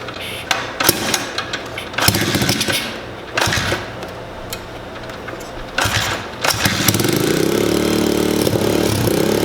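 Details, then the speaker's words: Cold pit bike single with a fake Mikuni-style carb, no air filter, choke partly on and a slight exhaust leak: it stumbles and pops on each throttle blip, falls on its face, then settles to a rough idle. Clogged carb suspected. "But as soon as I go to rev it, you can hear it fall on its face. If you give it part throttle, it'll rev up a little bit. So it does run, but not great."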